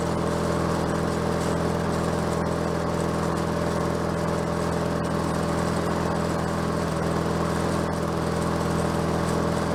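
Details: Bolens 22-inch self-propelled mower with Briggs Quantum engine, bought cheap and just revived (drive cables seized): steady even drone at constant speed, no surging or hunting; small engine runs smoothly.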